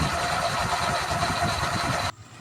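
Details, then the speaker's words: Honda Vario 125 scooter after home CVT service (CVT cover and pop filter refitted): steady, smooth idle with an even putter and no rattle from the belt drive, then cuts off cleanly; normal idle. "Oke, setelah terpasang semua, kita nyalakan. Oke pemirsa, halus ya pemirsa"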